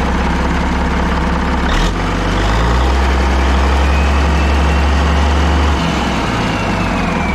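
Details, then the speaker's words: Caterpillar 3406A diesel, long-sitting, first start with external fuel buckets, bypassed hand primer, no coolant: deep, even, strong idle with no knocks or ticks, about 50–60 psi oil pressure; healthy engine. "all right that was pretty cool thing runs really good it sounds really really strong i don't hear any knocking or anything crazy"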